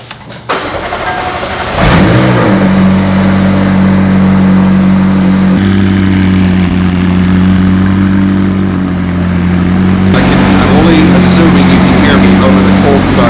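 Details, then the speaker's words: McLaren 600LT under rebuild, started after a full scan cleared all fault codes, going through its cold start phase: engine settles into a steady fast idle with even hum, no knocks or misses; normal cold start high idle. "cold start of the 600 LT behind me, but we got the full scan done, and it successfully cleared all of those. Of course, it's coming off its cold start live right now."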